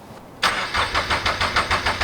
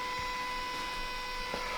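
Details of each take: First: Turbo Toyota GR86 after fitting 1050cc injectors and a DeatschWerks 300c pump, first start attempt: steady starter cranking about three beats a second, never catching. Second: Turbo Toyota GR86, port-injected, after fitting a DeatschWerks 300c fuel pump and 1050cc injectors, in a quiet garage: a loud, steady high-pitched electric hum for a couple of seconds as the pump primes at key-on, then stops right away, as it should.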